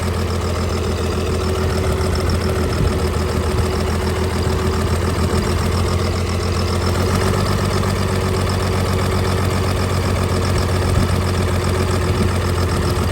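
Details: Cummins diesel burnout truck, heavy uneven lumpy idle with a missing pulse each cycle; dead cylinder.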